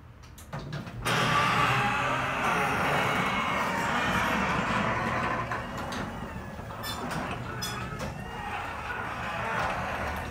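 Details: Genie garage door recorded up close: heavy door grinds through its travel with loud squeals and rattles throughout; an extremely loud, squeaky door.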